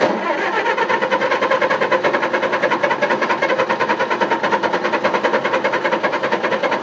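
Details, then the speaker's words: Engine that would not start; owner suspects flooding or moisture in the distributor cap: steady cranking with even compression pulses about eight a second for seven seconds, never fires; crank no start, cause unconfirmed. "Come on, baby. Tell me what's wrong with you. Fuck. Alright, let's sit for a while. It's flooded."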